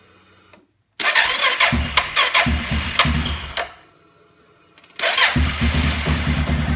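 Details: Suzuki King Quad on its stock ECU: the engine catches almost immediately and runs briefly, then is shut off and restarts just as quickly, a clean, healthy start; with a Copperhead VDI ECU it would not start.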